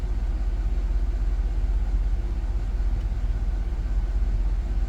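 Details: 2007 GMC Yukon XL 5.3 V8 after replacing the oil pressure sensor (ACDelco) and filter, idling: deep, even idle with regular low pulse, no tapping or stumbling; idle seems to have settled, while the gauge may still wander, maybe about a pound.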